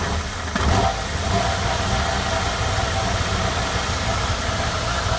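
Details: 1996 MGF 1.8 MPi, after intake gasket, IACV, rotor, cap and HT leads replaced: lumpy unsettled rough idle; cause found as vacuum pipe disconnected from ECU manifold pressure feed, runs perfectly once reconnected.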